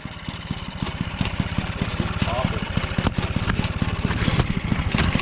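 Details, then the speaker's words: 1979 Yamaha QT50 two-stroke abandoned 35 years, after a new battery and carburetor, kick-started: quick even popping settling into a steady idle, roughly ten beats a second; it runs. "we did it she runs"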